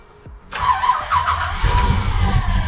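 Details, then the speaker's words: 1965 Chevrolet Malibu SS with 502 V8 and true dual exhaust, cold start after letting fuel pump prime: quick crank, catches at once, settles into deep steady lumpy idle; starts like that every time, extremely healthy. "it starts up like that every single time extremely healthy"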